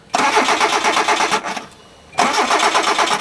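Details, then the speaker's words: Automatic Hyundai at night after swapping the throttle position sensor and refitting the air hose. The starter turns the engine over in steady quick chugs, about three a second, over two tries, and it never catches; cranks but won't start. "Nope. Not gonna start. Should have fired right up."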